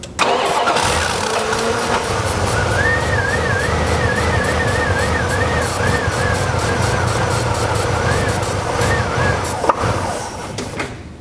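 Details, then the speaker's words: 1990 Dodge Ramcharger, non-running, fed starting fluid: catches and runs steadily with a faint warble, so fuel delivery is the fault; it is not the computer, ASD relay or distributor pickup. "okay so the fact of the matter is as long as I provide it fuel it'll run all day long it runs fine"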